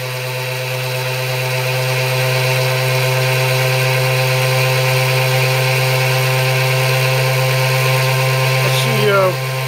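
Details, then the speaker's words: ZFM pulse motor at 36 V, 70–75° firing arc, aluminum rotor with neo magnets: loud, even buzzing hum with a fixed low note and a bright overtone, holding steady; normal run. "You can hear it cranking up right now. Probably about 6,800 RPM."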